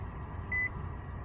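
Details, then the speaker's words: 2015 Nissan Rogue after blower motor replacement, tested at full blast: steady rushing fan noise with a brief chime, blowing air again; normal blower operation. "Nice. Got it at full blast. Woo! We got air now."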